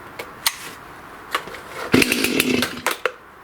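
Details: Stihl MS291 chainsaw that had no power and wouldn't rev, now running with its carbon-plugged spark arrestor screen removed: crisp, short bursts, each climbing fast and dropping clean; it revs freely.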